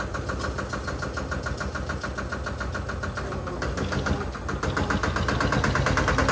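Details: Single-cylinder Lister diesel on a Benford TS25 radial swing concrete buggy, recently repaired, fresh oil, low hours, new tires. Slow, even thumping about 200 per minute, climbing slightly as it settles, no misses or knocks; running healthy.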